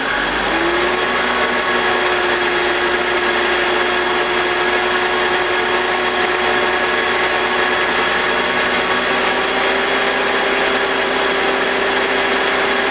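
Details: BMW E46 with M52TUB25 engine at idle, intake VANOS disconnected: smooth constant hum, no grinding, rattle or RPM drop. Owner suspects the VANOS causes a grinding noise, worse at startup, heard when connected. Normal idle.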